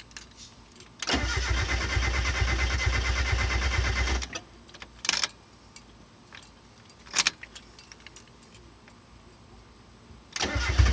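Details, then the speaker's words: 1991 Mazda Miata with new clutch, brand-new fuel pump not heard priming, reportedly jumped timing, an injector had been loose on the rail: starter spins evenly about three seconds without catching, then short tries; crank, no start. "as soon as if you let the key off it chugs a couple times and dies"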